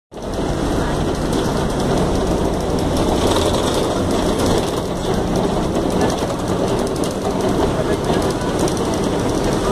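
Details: Tapanã II city bus in Belém: loud, rough, rattling roar holding steady with rain hiss behind it. Excessively noisy, cause unclear.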